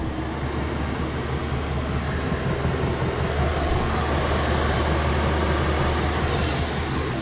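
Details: Ford Transit camper van diesel heater warming up: a loud, constant roaring burn over a low steady rumble, with no sputter or pulsing. It gets louder as it heats and calms somewhat once at temperature. Normal running, just noisy.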